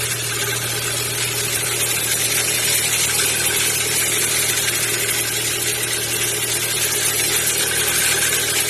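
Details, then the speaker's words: Kia Ceed 1.6 cold start: fast light ticking about four a second over even idle, fading as engine warms; owner suspects valves or similar, not confirmed. "На холодной кипятке как нагреется, так и пропадает. Кажется, как будто как клапана или такие потенки."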